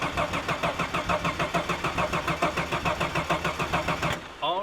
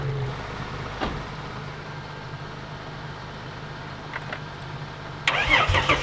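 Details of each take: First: Long-sitting Ford Fairlane with 302 V8 in a paddock: starter churns about two cycles a second with no firing; engine won't catch, and no fuel pump is heard, suspected dead fuel pump. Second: Car in a paddock: quiet, then a short burst of cranking, catching around six seconds in and settling into a steady, even idle; starts cleanly.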